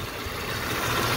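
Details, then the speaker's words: 2001 Jeep Cherokee XJ 4.0 straight-six engine at operating temperature before a compression test: steady, even idle with a smooth low rumble, no knocks, ticks or clanks; slight belt squeaks and a noise from a suspected bad power steering pump. "i got no knocks no ticks no clanking sound everything coming from the engine is just beautiful this is the sound i'm hearing pretty much the power steering uh pump but so far sounds great"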